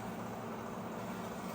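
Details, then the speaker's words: Microwave after magnetron repair, heating soup for 30 seconds: steady even low buzz with no clicking, where earlier it clicked and did not heat; normal microwave operation. "It's working. Ah, it's working. Earlier, uh, it used to do, um, clicking noise, no heating, but now, okay, 30 seconds are there."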